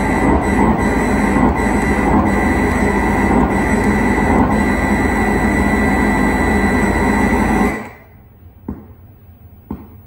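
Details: 1978 Bally Midway Space Invaders arcade cabinet with Braze kit: ROMs and RAMs passed but bit test failed, loud harsh steady roar with faint regular pulse during self-test, then cuts out abruptly.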